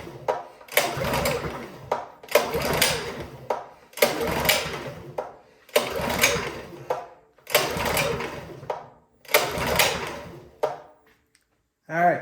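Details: Champion 224 cc generator, model 100892, oil full, run position, choke on: about six recoil pulls, each a brief crank dying with no firing. Fuel starvation from clogged carburettor main jet; carburettor cleaning fixed it.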